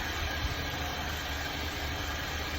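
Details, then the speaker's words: 2002 Nissan Altima that ran rough, after a simple tune-up; owner blames low fuel and tank condensation: steady, even low idle with no misses or stumbles, just a smooth hum; running good now. "pretty simple stuff but it's running good now thankfully"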